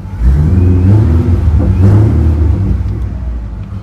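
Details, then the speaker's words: Supercharged Mustang V8, hot day, revved in place to warm it faster, not fully warm: couple of blips with crisp overrun pops; normal, shortly before smoke appeared from the engine. "I'm gonna try to make it heat up a little bit faster just by rubbing it up a little bit act like we're driving a little bit nothing fancy listen those pops"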